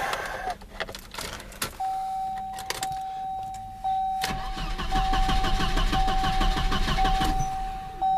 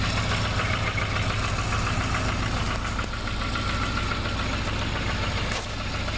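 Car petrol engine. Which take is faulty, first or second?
first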